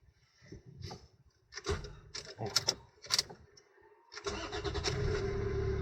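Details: Toyota with MMT semi-automatic gearbox that intermittently fails to start: after some handling clatter, the starter cranks briefly and the engine catches promptly into a steady idle; a clean normal start.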